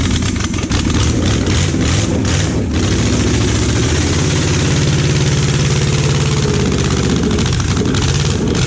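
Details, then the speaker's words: Junkyard Oldsmobile 350 V8 that had sat for years, run on an engine stand with open exhaust; stumbling, uneven beat as cylinders drop out, plug wires in wrong firing order, third cylinder back on both sides swapped. "hey you started it ran but it's like the third one back on both sides get the flies backwards dude"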